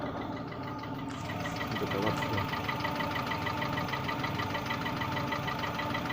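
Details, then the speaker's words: Cold engine at idle, about 3,500 km after a brief oil starvation: steady ticking knock about three per second; owner feared rod bearings, but the knock nearly vanishes when warm, is absent when revved and hasn't worsened; cause unconfirmed. "На холодную тарахтит, прям такое ощущение, как будто, блин, звезда шатунам."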